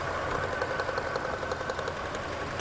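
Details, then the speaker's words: 1999 Toyota 4Runner with rough idle, check engine light and cylinder misfire code: sharp snapping ticks, about five or six a second, over a steady idle as spark arcs from a lifted plug wire; engine note unchanged when spark removed, spark judged adequate. "you hear that I can hear the spark arcing let it lift it up I noticed no audible difference in the way the engines running when I remove spark from the cylinder"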